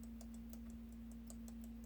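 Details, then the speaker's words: Asus Zenbook laptop left cooling fan: steady low hum with irregular light ticking and rattling; bearing worn and loose, fan shakes and rotates poorly, cannot be lubricated, replaced with new fan. "you can see that it's like rattling see how this movement means that you it cannot be fixed cannot be lubricated with any oil"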